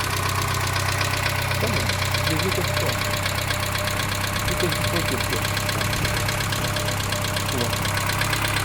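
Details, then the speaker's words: 1987 Dacia 1310 (Renault 12), cold start after two days sitting, choke a quarter out, at idle: a steady, dull knock about four times a second; owner says it fades as the engine warms, cause unknown despite new bearings. "Acum se aude bătaia de care [Muzică] pomeneam și Pe măsură ce se încălzește motorul o să se estompeze"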